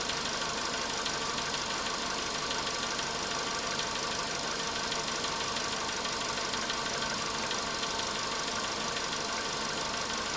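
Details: Volkswagen Polo Sedan cold-start engine knock: light fast ticking about three per second over steady idle, still faintly there near 4:40 minutes at 55 degrees; cause suspected, not confirmed.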